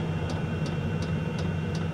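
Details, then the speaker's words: Fuel-burning parking heater newly installed in front of the radiator of a Mitsubishi i-MiEV electric car: steady turbine-like roar from the burner with a loud, even tick about three times a second from the dosing fuel pump. Heater running normally. "Just sounds to me that that fuel pump is uh pretty loud. Click click click click click."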